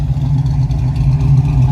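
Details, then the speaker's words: Chevrolet K10 truck V8 running outdoors, revved: deep, even low rumble with a slight lope, no knocks or rattles; healthy V8. "Old K10 ain't sounding too shabby out here. Hear that little rumble to it."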